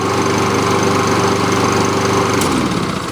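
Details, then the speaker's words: Kohler Courage engine on a Lawn-Boy mower, after service with a new carburetor and intake gaskets: fires first pull and runs at steady speed with an even beat, no misses or knocks. Healthy running. "fires up in one hole no problem good to go sounds good engines right nice and smooth"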